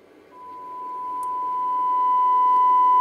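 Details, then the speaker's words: Breadboarded LM380N bridge amplifier (two LM380s, datasheet circuit) fed 1 kHz, 500 mV test tone; steady high tone rising in level with hiss underneath, little gain: amplifier passes signal but is noisy, cause not yet found. "noisy but I'm definitely getting something out of it you can hear it not a lot gain though really"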